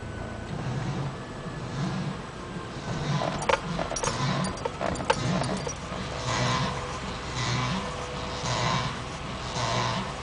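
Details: Driving straight at about 2 mph, a soft swishing rub comes round about once a second from the passenger-side front wheel, worse at low speed and not worse when turning: front wheel rubbing noise.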